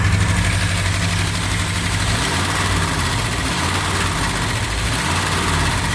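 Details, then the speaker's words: 1959 Chevy Apache 3100 pickup V8, first run after over 20 years sitting, fuel leak noted: deep steady idle burble with an even rumble and no skips or tapping; runs healthy. "almost up got a fuel leak got not bad first time running over 20 years 1959 Chevy Apache"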